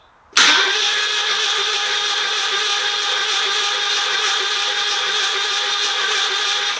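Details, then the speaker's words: 1997 Mini Cooper 1275, penetrating oil added to free engine, cranked on jump pack: even steady whirring crank, no firing; owner thinks cranking is slow after plugs gave one pop, unsure if starter motor. "Is that spinning over fast enough, or should it be spinning over faster? Because I put some plugs in, I tried to start it and it did give me a pop, but it then went really, really slow."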